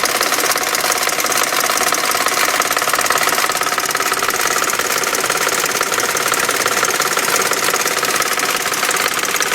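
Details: 1999 BMW 540i 4.4L V8 at idle: steady sharp knocking, roughly three taps a second, from the passenger side of the engine; source not yet found.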